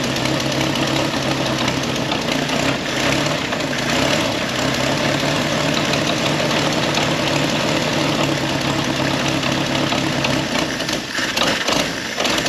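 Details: Old Ford Willys Jeep with Go Devil four-cylinder, sat many years, first start on choke after fan belt tightening: even, steady idle with no knocks or rattles.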